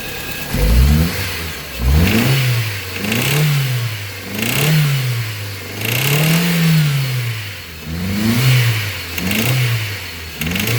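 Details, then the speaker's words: Ford Zetec Rocam engine, throttle blipped: loud, harsh clatter rising and falling with revs, sounding like a connecting rod, started suddenly with no oil light. Traced to a cylinder head fault; compression test planned, head gasket failure between cylinders suspected. "barulho bem alto né pessoal então aparentemente pessoal parece um barulho de uma biela algo mais assim"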